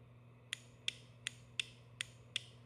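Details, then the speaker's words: Rostra Gen 2 cruise control on a Hayabusa, setup test pressing rear brake for deactivation: six crisp clicks about every 0.37 s over low hum, relay at the back clicking as its coil energizes; normal. "let's hit a rear break so we'll get deactivation and you can hear the relay clicking back here"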